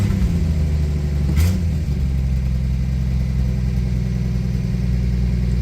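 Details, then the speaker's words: 1961 Studebaker Lark that wouldn't start, with smoke reported from under the hood. Restarted without pumping the pedal, it runs with a steady, even low drone and no stumbles. It was probably flooded; the car is low on fuel, about an eighth of a tank, parked on an incline. "Sounds okay to me. She hates it when this happens. I guess flooded."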